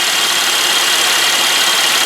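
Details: Chevy Impala with codes P0174 and P0496; a purge valve was found leaking vacuum and the engine ran much better with the leak blocked. Steady, even idle with a smooth hum and no stumble, hiss or misfire.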